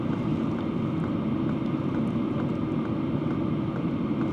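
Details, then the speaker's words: Vevor Compact diesel heater after modification, down from 72 to 64 dB, before adding sound insulation: even fan rumble with soft regular pump clicks about twice a second, nothing harsh; normal running. "we're down to 64 dB. So we're making some progress. This is definitely a lot more doable at this point."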